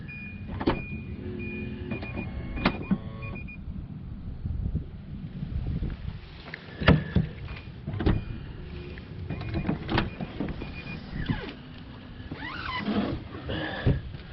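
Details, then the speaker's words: 2012 Nissan Armada power liftgate won't power open or close: short whirring actuator runs over faint vehicle hum with no gate movement; track moves but drive rod appears disconnected. "We got to get to this because it doesn't appear that this rod's hooked up. Because I've literally seen the track go up and down. And I have not seen any movement from the rod up here."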